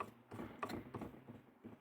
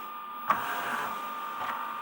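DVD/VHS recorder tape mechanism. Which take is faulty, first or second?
first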